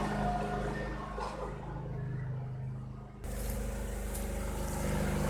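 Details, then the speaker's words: 2001 Cub Cadet 3184 tractor, Kohler CH18S 18 hp OHV engine, 848 hours, after a tune-up that fixed rough running: steady low thrum that dips briefly then holds an even pace with no surging; a normal, smooth idle. "It's smooth so far, no surging or anything."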